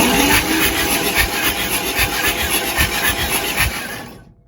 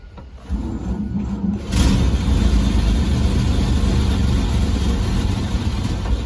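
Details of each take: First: 1948 Chevrolet 3800 dual-wheel stake bed truck, parked nose-down for years with water entering through an open vent and drain tube. Fresh oil and Seafoam added, spark plugs out, cranked: a fast, even whir with no binding. The engine turns over freely. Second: 1948 Chevrolet 3800 dual-wheel stake bed truck, sat for years nose-down with water entering the engine, started on fuel poured into the carburetor. It runs rough while the starter keeps whirring: the starter is not disengaging, and smoke comes from the exhaust.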